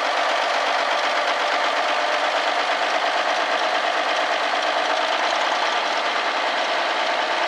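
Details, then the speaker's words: Old Kenworth diesel truck, first start in five years: steady, even clatter at idle with no misses or knocks, with old-school smoke; normal diesel idle. "Atta girl. Smoke's good. Even smells good. The old school smoke."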